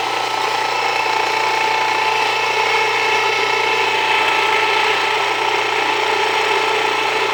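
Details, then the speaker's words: Jiffy Precision Mill, US-made electric steel burr grain grinder, with the burrs set very fine; steady motor whir under dense strained gritty rasp, grain not wanting to go through; setting backed off, coarser two-pass grind suggested; mill labouring on too-fine setting. "Now, a little bit slower. Yeah, I backed off just a little bit cuz it looks like not really wanting to go through. Go much slower."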